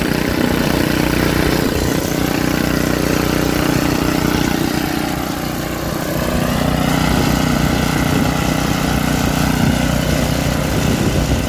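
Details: Troy-Bilt rear-tine rototiller engine after magneto cleaning restored missing spark and carburetor cleaning, during carb adjustment: even single-cylinder putter holding speed without surging or dying out; runs normally.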